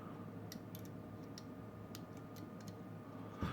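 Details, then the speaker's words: 5W warm white DIY GU10 LED lamp kit from eBay, freshly built: faint irregular sharp ticks over a quiet hum; builder unsure if a component or a small spark at the pins, probably capacitor charging drawing power. "so it is probably a little spark at the bins here but it's okay it's probably because the capacitor has to charge a little bit which requires a real good amount of power"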